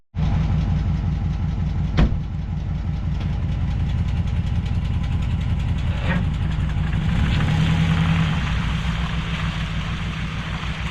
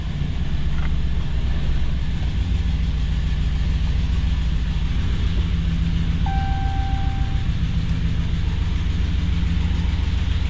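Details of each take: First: 2014 Dodge Ram 1500 with junkyard 2011 5.7 Hemi V8 engine and transmission swapped in, new crank sensor fitted, small exhaust leak: starts and settles into steady, even low rumble idle, no knocks or misses; normal idle. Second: 2014 Dodge Ram 1500 with swapped-in 2011 5.7 Hemi V8 at idle after first start: deep, even rumble with a puffing pulse of about three or four beats a second; exhaust leak.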